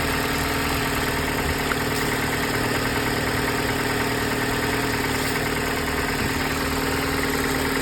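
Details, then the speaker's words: Car with a V6 3.0 at a CarMax auction preview: smooth, steady idle with an even low beat and no knocks or ticks. Normal idle. "seems to be pretty good nothing to worry about there sounds like the V6 3.0"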